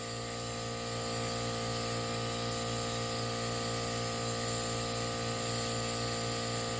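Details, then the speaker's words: 2016 Land Rover Discovery Sport 2.0L turbo petrol whose engine died, under a cylinder leak-down test reading 35. A steady hiss of air leaks out as the cylinder fails to seal. "That is no bueno. 35. Gosh. You can hear it leaking out."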